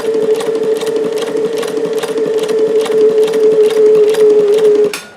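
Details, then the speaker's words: Davis Vertical Feed long-needle model sewing machine running 15X1 needles through a single layer of waterproof stabilizer, after loosening bobbin tension to cure puckering: even stitching knock about 2.5 per second over smooth motor hum; normal sewing, no puckering. "okay so I've loosened the bobbin tension let's see definitely not puckering now"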